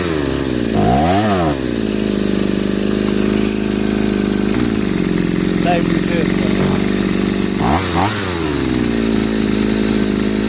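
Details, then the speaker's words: Home-built two-cylinder two-stroke brushcutter, one ignition coil, carburettors linked by two hoses: buzzy uneven pulls and sagging revs, one cylinder only catching occasionally; cylinders run only one at a time, cause unknown, owner wonders if one coil is insufficient. "тільки чомусь працює по черзі двигуни. Разом вони чомусь не працюють. В чому причина?"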